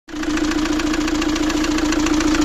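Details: Fiat Doblo 1.9 JTD diesel (Opel Z19DT 1.9 CDTI) at idle: a fast, regular metallic knock over a steady hum. Endoscopy shows scuffing and a likely valve imprint on the cylinder 1 piston, and the engine needs an overhaul.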